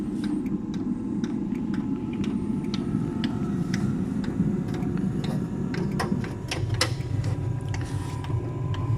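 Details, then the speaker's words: Eberspächer Espar D2 heater during service, where the blower had been touching its case: the blower roar builds steadily while the fuel pump clicks lightly at an irregular pace; the heater starts up normally. "yeah i can hear it spinning up the pump is not clicking ok now okay so the heater is starting"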